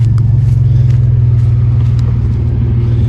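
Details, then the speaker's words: 1992 GMC Sonoma GT, 4.3 L CPI V6, after replacing the spider injector assembly to fix an idle surge; driven on a loop under load, deep steady rumble pulling smoothly, no bogging, stumble, misfire or surge, feels strong and healthy. "yeah yeah no like bogging or anything nice I took it for the loop beautiful feels great feels strong"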